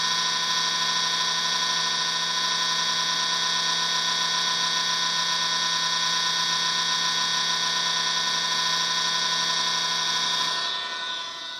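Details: Xbox at power-on, still doing it after being switched off and on: a steady high whirring hum with a buzzing undertone, holding a constant pitch until it winds down, an abnormal noise.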